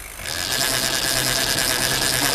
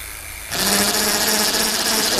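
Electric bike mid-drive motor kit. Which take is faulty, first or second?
second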